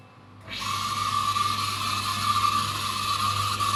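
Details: Samsung DV80TA02OAX 8 kg dryer: steady high squeal around 1 kHz starts with the motor and holds constant pitch; failing motor, fixed by motor replacement.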